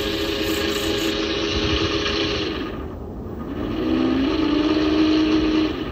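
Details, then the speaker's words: 400W three-phase alternator run as a motor at about 69 V: rough, gritty rumble under a thin steady hum; bearings sound noisy. "but those bearings sound pretty bad i'm gonna let it run for like 20 minutes just to see if i can uh make it quieter"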